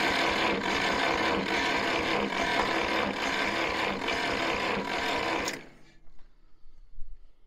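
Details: International 424 tractor, neglected rescue with broken solenoid and choke not working, coil hooked up: steady starter cranking about four pulses a second that never catches, then stops; no spark reaching plugs.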